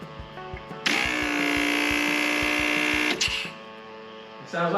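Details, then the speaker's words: Electric vacuum pump for the wipers switching on when the first switch is flicked: a steady buzzing hum for about two seconds, then it stops. Normal pump operation. "that's the vacuum pump for the wipers that came on."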